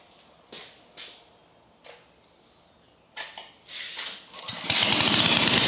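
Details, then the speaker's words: Briggs & Stratton flathead engine on a Lincoln Electric arc welder, after a valve job to fix a hung-up valve: a few pull-start tries, then a fast, even, rapping beat. It sounds stronger and healthier than before, with the exhaust blowing back while welding; normal running. "working a lot better other than that exhaust blowing on my back while I was trying to weld. Sounds a lot stronger and healthier than before."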